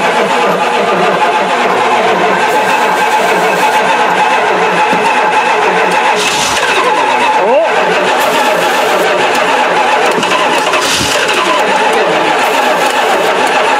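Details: Mopar 360 V8 sat three years, throttle was frozen: steady churning crank with no catch or firing bursts; turns over but won't fire. Cause not confirmed.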